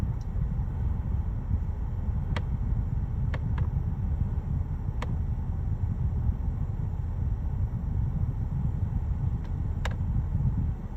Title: BMW X5 F15 AC Clicking and Creaking Noise